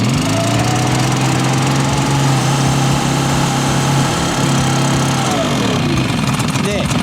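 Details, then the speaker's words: Kama HD-999 two-stroke engine blower after flooded start, smoking from excess engine oil: loud buzzy engine revved up, holds high rpm steadily then drops off; keeps running. "이 상태로 시동이 안 꺼지고 있습니다. RPM을 올려볼게요."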